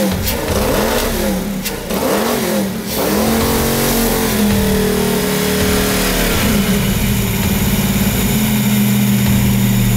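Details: 1995 Ford Mustang donor car abandoned for years: catches after burst of cranking, oil pressure good, then uneven, wavering lumpy idle; rough running, idle needs work.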